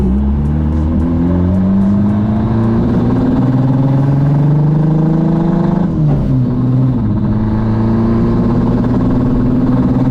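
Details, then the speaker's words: Built K24 AWD Honda Civic drag car, turbocharged, revving up and down with an uneven, stumbling note below 7000 rpm, worse than before; turbo spool sounds louder; owner suspects the manifold, cause unclear. "below 7000 RPMs it just feels like crap it sounds like crap and it like kind of did that a little bit before but not as bad"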